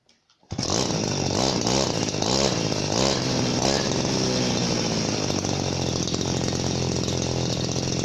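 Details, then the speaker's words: Chinese copy RBC411 (Makita-style) two-stroke brush cutter: revs up and holds a steady buzz with a nasal, slightly raspy exhaust note, likely from the same muffler structure as the other Chinese copy; sounds a bit hurried but runs normally. "น่าจะเป็นเพราะว่าโครงสร้างท่อเหมือนกันนะครับก็จะเถียงๆครับออกแนวเหมือนคนจมูกพี่ครับ"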